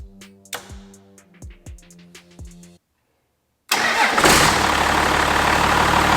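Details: 5.9 Cummins from a 1993 Dodge Ram, swapped into a 1967 Ford F-250, fired after engine bay wiring with the fuel solenoid connected. After a quiet gap it starts quickly into a loud, even diesel idle with no misses or knocks.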